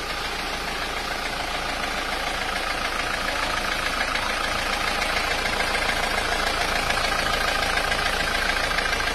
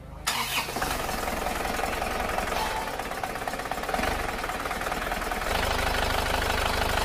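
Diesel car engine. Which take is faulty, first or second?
first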